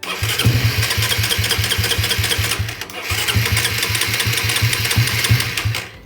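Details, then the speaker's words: Suzuki Satria FU carburetor motorcycle, fuel deliberately put in the black vacuum hose of the automatic fuel tap to simulate a leaking membrane: two long runs of starter chugging, about three seconds each, no catch; extended cranking from leaking fuel tap membrane. "Nah, ini untuk pembuktian aja ya teman-teman, kalau kebocoran di situ bisa menyebabkan starter memanjang."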